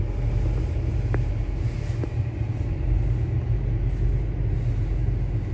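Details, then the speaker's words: Used Mitsubishi Outlander automatic transmission in snow mode (4-wheel drive), reversing during test drive: smooth steady low rumble, no whine, clunk or grinding from gearbox; sounds normal. "Ya, coba dirasakan kondisi jalannya, apakah dia normal, mundur. Oke, mundur terus."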